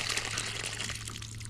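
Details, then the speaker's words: Windmill water pump in Norman, Oklahoma after a broken sucker rod repair: steady splashing gush of water from the pipe, normal output, with gurgling said to be a good sign. "there okay there you go see that's a normal that's what that's the output of that"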